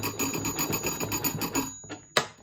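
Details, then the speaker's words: Soviet TA-57 military field telephone in 2-wire setup, hand crank wound to ring the bell at the other phone; rapid, evenly spaced rings about six a second, then stop; normal ringing. "So when you wind that crank, all it does is ring the bell on the other end. You don't need to crank it while you talk."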